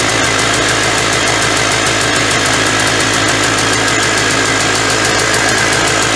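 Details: 1991 Polaris Trail Boss two-stroke, stored 28 years in a chicken coop, first start on gas poured into the carburetor; loud even crackle at fast idle, holds steady without stumbling, smoking, oil injection working; normal idle.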